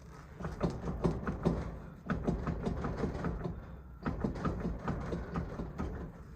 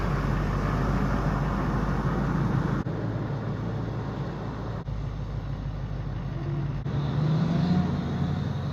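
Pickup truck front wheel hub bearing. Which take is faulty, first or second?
first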